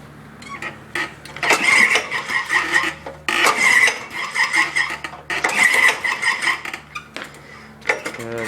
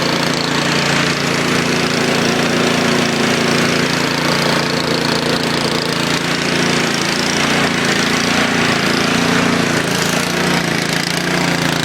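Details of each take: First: Honda HR214 mower with choke on, cold, slow to start lately despite fuel stabilizer; three recoil pulls each a brief spinning whirr dying away without firing, cranks but won't start. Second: Craftsman YTS 3000 tractor cold start with choke after sitting about two weeks, battery untouched; started right up and settles into a steady, even small-engine putter with no misses or knocks, healthy.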